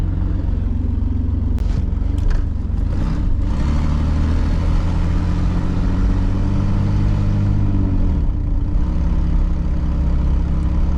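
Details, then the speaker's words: 2002 Chevy Blazer 4.3L V6 Vortec driven with O2 sensors pulled out; deep loud booming exhaust swelling as revs climb, now driving well, pointing to clogged catalytic converters: loud exhaust. "So, yeah, I got my O2 sensors pulled out. Take it for a little drive. It's going to sound crazy. Oh, that sounds wild."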